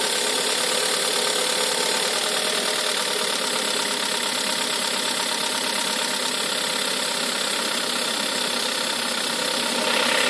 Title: Golf 6 1.4 TSI timing chain error rattle noise